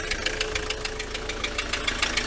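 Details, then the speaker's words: Ford Transit MK7 2.4 RWD diesel van at idle just after fuel system bleed and new injector seal kit; sharp regular ticking knock about seven per second persists, owner unsure whether injectors are faulty, cause unconfirmed. "But anyway, it's still knocking. But at least it's running."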